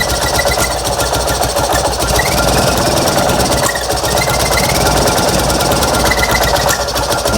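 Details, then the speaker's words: Fiat 126p two-cylinder engine with low compression, run on 92% denatured alcohol instead of petrol: loud, uneven beat that sputters, stumbles and wavers and chokes unless throttle is given; rough running on the wrong fuel. "dawaj Ale co nie za bardzo PR chodzi nachy Zobaczcie tutaj jak prycha"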